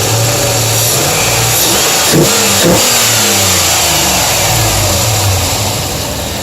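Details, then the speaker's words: V8 truck revving with light quick ticking about four a second; owner says normal injector and valvetrain noise on these engines; oil pan new. "it might be look a little bit of it like a clunk or like a tongue sound that's just the valvetrain mouth painter on these engines are noisy"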